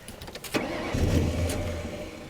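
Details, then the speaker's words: 1998 Ford Crown Victoria P71 Police Interceptor, parked over 10 years: cranks, catches and runs a couple of seconds on starting fluid without backfiring, then fades; no fuel delivery, and the emergency fuel cutoff was not tripped. "wouldn't it be great if someone had just tripped the emergency fuel cut off which is right here they didn't no and it's still plugged in and everything too well that's a shame"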